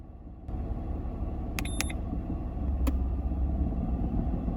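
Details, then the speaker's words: Misfire triggered on purpose with an OBD2 scanner's fuel cylinder cutout test disabling the number 1 injector: lumpy, uneven idle with an irregular low thump from the dead cylinder, until all cylinders are restored. "you're able to hear the misfire because number 1 injector is not firing."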